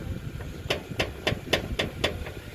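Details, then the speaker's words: Ford Focus, front wheel lifted and rocked: sharp metallic clacks about four a second from a loose, worn control arm ball joint. "เอาลองยกดูลูกมาตัวนี้มันดังแก๊กๆแล้วก็ลูกไม้แขนแหละตัวนี้ก็ดังดูหน้าเขาฟังเสียง"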